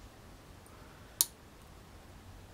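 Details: ESP8266 Relay X2 (LC Technology) board controlled over UART: one crisp, quiet click on a near-silent background. The relay pulls in normally.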